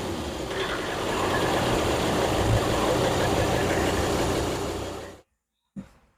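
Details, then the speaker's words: Boat engine just after a new turbo was fitted, on a very hot 34–35°C day: steady, even run with no knocks or misses, then shutdown and a short restart burst; wastegate heard opening on start; sounds healthy. "But that's the turbo fitted. We tried it. We tested it. We run the engine up. And it all looks like it's good."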